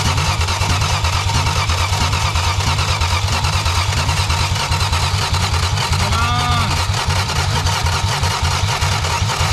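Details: 1962 Plymouth Valiant slant six automatic, long dormant, just started after months of attempts: loud, fast, even firing roar held high with throttle wide open, revving hard right after finally catching.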